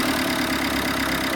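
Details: 2014 Vauxhall Combo diesel van, previously would not start from cold, after fitting new injectors, started on a jump pack: smooth, even diesel idle with steady beat, no misfire or knock; running cleanly.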